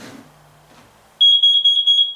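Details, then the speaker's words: Carbon monoxide detector gives rapid bursts of shrill beeps, then shuts off by itself, while an old heater has been running for about half an hour. "alarm huh interesting and it shut off it's weird i haven't had the heater going for like half an hour"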